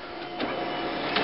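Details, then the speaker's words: LaserJet 4000-series printer with error 41.5, separation roller and clutch properly seated, running a test page: an even feed whir with clean page rustles. Printing normally. "see as as it's printing it's doing it normally"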